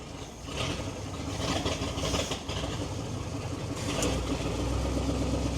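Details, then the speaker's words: Old Ford or Chevy truck bought about 7 years ago, run on couple-year-old gas with choke partly set, cold start: catches and holds an even idle with steady low firing, no misses or knocks; needs new exhaust. "gas is a couple of years old but you fired right off so that's the deal with it uh oh they sound so good"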